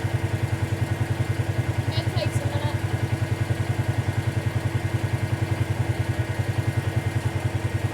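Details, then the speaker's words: 2018 Polaris Sportsman ACE 570 after full top-end rebuild (valves, stem seals), warm idle near 197–199°F with cooling fan running: steady even single-cylinder thump about three and a half times a second, fan whir behind; normal healthy idle. "so far so good getting close 192 that fan should kick on here in a moment we've got a fan 199 if we did everything right it should start to cool down"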